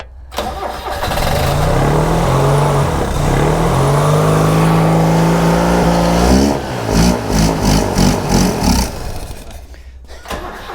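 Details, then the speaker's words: Subaru Sambar kei van engine, sat 25+ years, first start after fixing a wire broken at the plug: starter churns briefly, engine catches, revs up smoothly, then settles into an uneven idle; it runs. "How good is that? Brilliant. Yeah. Oh, well, that's one thing down. The motor runs."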